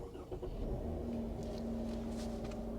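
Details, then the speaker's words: 2017 Chrysler Pacifica with Gen 2 Pentastar engine setting false P0300 misfires and disabling injectors, codes just cleared: quiet, even idle right after starting with no stumbles; runs smooth before injectors shut off. "If we was misfiring on all 3 cylinders, this thing would barely be running, but it runs smooth for a few minutes."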